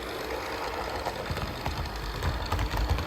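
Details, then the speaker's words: Walthers Trainline Soo Line FA-1 model locomotive after repair and 20-minute run-in each way: rapid light ticking over soft motor whir, rising with speed; still ticks with the shell off, nothing vibrating, the shell only amplifies it; gears suspected, not replaced. "tick noise maybe it'll disappear over time we'll see definitely gets a bit louder the faster it goes and I have checked nothing is vibrating nothing's hitting the shell I ran it without the shell it was still ticking so the Shell's just amplifying the sound"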